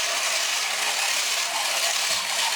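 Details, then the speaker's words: Vintage mechanical talking robot (Silly Billy bot or Talking Robot, 2 C cells), walking function with ratcheting legs: continuous high, dry scratchy squeal from the small motor; suspected to need a few drops of oil, unconfirmed. "It's a little squeaky, it sounds like the motor could use a couple drops of oil."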